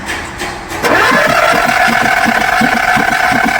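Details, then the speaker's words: Skoda Fabia diesel with VW Polo three-cylinder engine that died while driving, won't start; timing OK, injector-hole test shows no compression in cylinders 2 and 3, only normal in 1. Steady starter whirr with soft even puffs, never catches; low compression. "3 number में भी compressor नहीं है। 1 number compressor सिर्फ हमारा 1 number में आ गया।"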